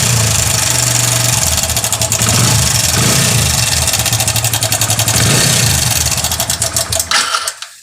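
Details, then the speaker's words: Hero Passion Xpro i3s motorcycle: fast metallic clatter, about four ticks a second, rising with revs; timing chain rattle. "दोस्तों इस तरह का sound है और इसका साउंड जो है हमारा टाइमिंग चैन से है दोस्तों यहां पर दिखा दे आपको टाइमिंग चैन में हमारा इशू है"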